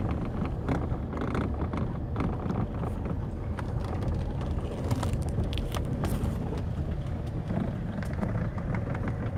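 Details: 2008 Fiat Scudo: irregular sharp clunks through the steering over steady road rumble, a worn steering intermediate shaft knocking; recorded before repair, after which the shaft stayed quiet for about a year and 10,000 km.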